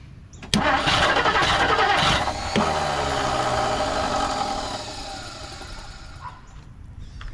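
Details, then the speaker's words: 1959 Plymouth Savoy with a cheap Amazon carburetor, choke not properly hooked up: uneven, catching cranking about three pulses a second, never fires; suspected dead spot in the flywheel, possibly weak spark. "seems like there's a dead spot in the flywheel big surprise there"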